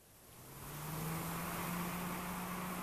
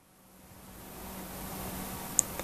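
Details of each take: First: Spire 120 mm PC case fan bench-tested, rated 21 dB: spins up within a second then holds a steady low hum with airy hiss, louder than a CPU fan rated 24 dB; excessive fan noise. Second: Xilence 120mm blue LED case fan on a bench test, rated 21 dB: a very faint, smooth airy hiss with a slight steady hum and no ticking or grinding; the quietest of three fans tested, running normally.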